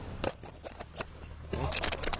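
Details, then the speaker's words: Start relay from a single-door refrigerator that wouldn't cool at all, shaken by hand: loose sandy rattle in irregular bursts, showing the relay has failed internally; fix is replacing the relay and overload. "dan biasanya kalau barang ini rusak si relay ini ya ini teman-teman kocok dia akan bunyi"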